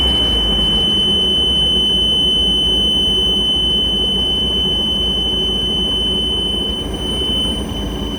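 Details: Mariah SX-18 boat with a Mercruiser 3.0: a constant high-pitched warning buzzer, normally heard only before starting, keeps sounding over the running engine. The engine runs great; the cause is unknown.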